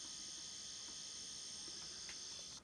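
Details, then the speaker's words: OO gauge model DMU with a DC motor standing on DCC constant track power: steady thin high-pitched buzz while stopped, because the stationary motor is still energised; the owner fears it could cause damage. "This is on the DCC controller, as you can see, but when the train stops, it does that buzzing."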